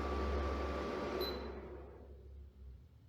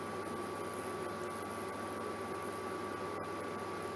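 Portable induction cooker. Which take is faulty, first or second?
first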